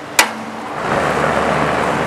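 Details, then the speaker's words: 2001 Lennox Value Series 4-ton straight-cool A/C outdoor unit, about 15 years old, R22, rooftop: after the disconnect is switched back on, a click and condenser fan whoosh come right back with no compressor hum or delay; compressor not starting, owner suspects low refrigerant charge. "fires right back up and I do not hear the compressor running"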